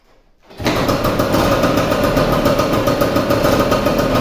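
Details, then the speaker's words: Vespa 150 started after repair of a loud engine noise from a broken elastic pinion. It catches cleanly after a short crank and settles into an even two-stroke idle with no knocking or grinding, "like a Swiss watch." "Es un reloj suizo."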